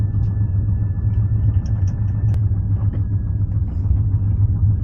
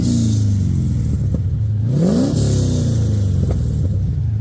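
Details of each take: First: BMW E36 with swapped rebuilt aluminium 5.7 LS1 V8 on a basemap, exhaust leak before repair: deep rumbling V8 idle with an uneven puffing tick over the exhaust note; owner can't tell which joint. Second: BMW E36 with swapped rebuilt aluminium 5.7 LS1 V8, after exhaust repair (spacer added at loose joint): deep clean V8 burble climbing smoothly on a quick blip and settling back, no ticking or puffing; exhaust leak gone.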